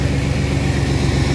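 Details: 1997 Chevy Astro van that sat three years, started despite no ignition-switch power to the starter, brake fluid smoking on the hot exhaust: even low rumble of petrol V6 idling steadily, no misfire or knock; idles fine.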